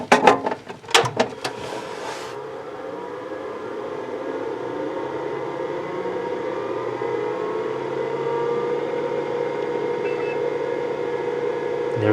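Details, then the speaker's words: 30-year-old 1986 IBM PC/XT, cold boot with its 20 MB hard drive (believed to be an ST225): switch clunks, then a steady whirring hum that climbs slightly and holds even as the drive spins up normally during the power-on self-test. "There's the sound of that nice drive. Right now it's doing its power on self-test."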